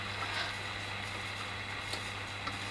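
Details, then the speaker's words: 1942 Ducati radiogram after speaker cone repair: only steady amplifier hiss over low mains hum, no station; amp works but tuner dead, likely a loose connection being traced. "well tuna's not doing anything the amp's working because we can hear the sort of background hits but what is going on"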